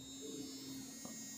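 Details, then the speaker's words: Noise ColorFit Pro 3 smartwatch on its charger: steady thin electric buzz with a fixed tone while it is stuck restarting in a boot loop. It switches off as soon as it is unplugged, suggesting a faulty unit. "तो charge करने के बाद जो मैंने upload किया कुछ इस तरह से यह आवाज कर रही है"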